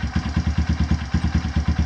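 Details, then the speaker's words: Freshly rebuilt Kawasaki KLX170 (KLX140 big bore), first start, cold, at the start of break-in: a lumpy, uneven single-cylinder idle of about seven pulses a second. It struggles to stay running until warm. "it's kind of it's not warmed up yet so it's having the struggling staying running"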